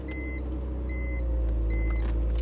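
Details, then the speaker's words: BMW at a salvage walk-around, about 190,000 miles, service engine soon light on: low steady rumble with even idle, no knocks or misses, over a repeating warning chime; sounds good. Normal idle. "she sounds good 190,000 mil see I told you I thought she had a lot of miles on her"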